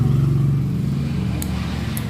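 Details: Yamaha Xeon carburetor scooter after replacing the faulty starter relay: steady electric whir as the starter motor spins freely but does not engage or crank the engine; starter clutch slipping.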